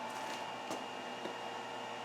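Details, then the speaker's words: Shop-built VFD on a stick (single-phase in, three-phase out), just switched on with nothing plugged in: soft, steady whirr and constant hum of the drive's cooling fan in a quiet room, sounding normal. "let me turn it on yeah maybe you guys hear the fan"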